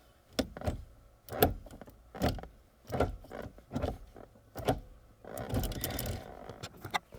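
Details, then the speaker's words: Motorsports shifter in a 500 whp Ford Focus ST, microphone placed right by the shifter. Crisp, firm clunks about once a second as gears are selected, no grinding; tight, notchy engagement as intended. "The feel and everything on the actual shifter is really notchy."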